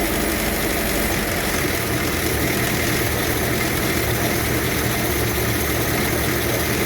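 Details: 1954 Ford Popular 103E, warm, with the choke pushed in: steady even idle with a low throb and no misses or knocks; runs smoothly.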